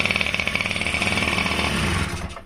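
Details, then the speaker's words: Honda Dio Fit AF27 two-stroke scooter that wouldn't start, fuel poured in with hose off carb: rapid buzzy beat about twenty a second runs two seconds then dies; fuel pump valves were stuck inside, now delivery resumes. "наша й подача пішла як бачим да десь щось там засіло внутрі там клапанки ідут і пішла подача"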